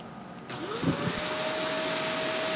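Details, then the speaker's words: Vacuum cleaner after cleaning filters, brush off: motor spins up within a second to a steady, even whine with strong rush of air into the bin and no choking; airflow restored. "We have air flow. Clean it up."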